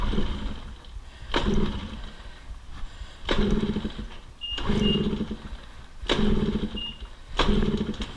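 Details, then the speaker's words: PW50 with the choke tried on, then maybe off; it had fired up before. Kicked roughly every 1.5 seconds, the engine turns over with a dull churn but never catches. It won't start, and the cause is still unknown. "all right well I don't want to flood it all right well looks like we have another fun process to figure out what is going on"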